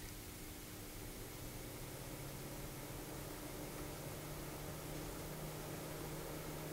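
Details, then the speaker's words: Noctua NF-P12 120mm fan at reduced speed on its black low-noise resistor adapter, supplied from 12 V, camera close: soft steady airy hush with a faint low hum, no ticking or rattle; a normal quiet fan. "very quiet fan also moves a pretty good amount of air"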